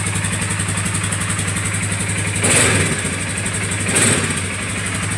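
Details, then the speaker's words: Polaris Sportsman 450 after cushioning/taping a part near the gas tank that knocked: steady even idle with two brief throttle blips and no knock or rattle; fix successful. "that's a little solution that I put right here that's not giving me no issue now all right no rattle"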